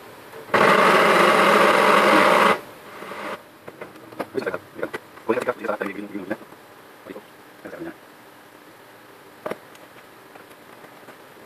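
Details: HP LaserJet 1010 printer makes a loud two-second burst of harsh grinding from the gearbox, then scattered clicks, and won't print; worn motor drive gear.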